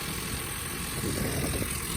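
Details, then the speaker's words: Japanese mini truck engine just rebuilt, first start after new timing chain cover fitted: light metallic rattle over steady, slightly rough idle; owner thinks timing chain rattle, tick much less than before. "It still sounds kind of vibrating, but that sounds more like timing chain rattle than it did before. I think our tick last time was way worse."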